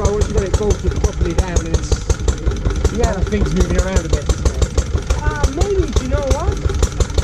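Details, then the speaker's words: Lister D petrol barn find, first start in 20+ years after restoration: slow thumping near three a second, uneven spacing, surging, not settling. Owner suspects too much timing advance and carb settings; uneven running. "there are a few problems with the engine it's it needs a bit of fettling really and and just going through a few bits and bobs it's quite jumpy that probably requires a bit of timing adjustment"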